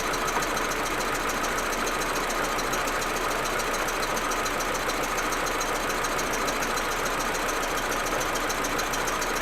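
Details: Audi A4 1.8T at cold idle: uneven, stumbling idle with irregular ticking over hissy background; smooth once warm. Plugs, coils, ignition amplifier and vacuum hoses replaced; owner suspects injectors or carbon buildup, cause unknown.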